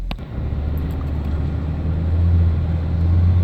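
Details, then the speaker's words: 2013-2016 Ford Escape 1.6L turbo after engine and 6F35 transmission replacement, transmission filled to proper level, road test: smooth steady low drone building evenly, no knocks or rattles; warning message persists; normal running. "so it's running real good we got the transmission filled to the proper level"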